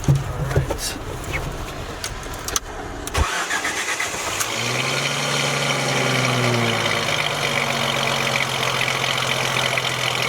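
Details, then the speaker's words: Jeep Wrangler first start after engine rebuild, with new belt, idler pulley and correct tension fixing a prior squeal from antifreeze on the belt: a few seconds of cranking, then an even quiet idle with no squeal or knock: normal start and idle. "is awesome then ng run so smooth she's just purring and don't squeal"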